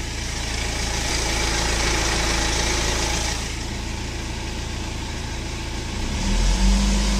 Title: Bruit moteur N47 sur 118d 2007/07, 151000 km